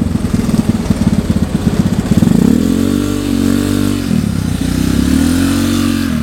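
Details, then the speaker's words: Honda Vario 110 carburetor scooter with a new R-One standard-racing exhaust replacing a 4–5-year-old pipe; deep muffled exhaust drone rising and falling with throttle, carb intake roar and engine noise louder than the pipe; normal, healthy running. "tapi untuk suara yang lebih terdengar itu suara raungan karbu dan juga scin jadi suara si knalpotnya itu lebih saru lah ya"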